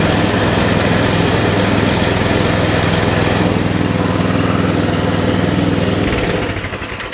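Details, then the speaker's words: Coleman CT200 mini bike with a non-adjustable carb, rear wheel jacked up: the small single buzzes at a fast, steady idle that never settles, and the clutch engages at start-up. A too-tight throttle return spring holds the throttle open, raising the idle. "so as you can see as soon as you start it up takes a second but then that clutch just is engaged the wheel takes off"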